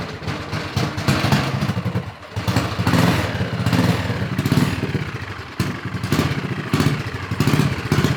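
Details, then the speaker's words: Honda 5HP overhead-cam engine on a yard go-kart, linkage redone and some parts bypassed: rattly single-cylinder putter sags and nearly dies a couple of times before catching again, still won't hold a steady idle; cause unconfirmed. "Yeah, it still doesn't want to idle. It's good enough where we can take her for a rip, though."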